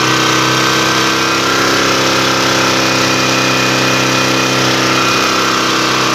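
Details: Long-unused Yasuka generator running under an electrical output test: steady, even engine drone with no knocks or surging. It had sat unused because its pull-crank bolt was badly damaged.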